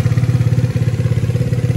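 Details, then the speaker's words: Piaggio Zip scooter idling after being serviced the day before: soft, even low putter with no knocking or rattle, smoother and quieter than the noisy unserviced scooter; normal smooth idle. "ini baru beres kemarin baru-baru service ini lebih lembut suaranya"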